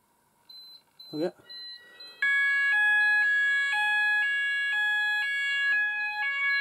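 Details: Apollo addressable fire alarm system test, upstairs wireless detectors being triggered: short detector chirp, then a loud repeating multi-tone electronic alarm pattern cycling steadily; sounders activating correctly on test.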